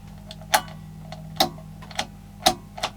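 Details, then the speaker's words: 1960s home-made transistor stereo amplifier with Mullard transistors, rails around 24 volts, at power-up; faint mains hum with sharp irregular clicks about once a second as the relay kicks in. "that relay's kicking in."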